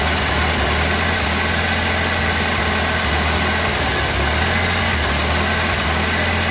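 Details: 1986 Ford Ranger 2.3L four-cylinder idle: lumpy, uneven beat, low drone rising and dropping irregularly; rough idle with misfire. Owner reports ongoing misfires despite changing many parts, later thinks only slight misfire; cause unknown.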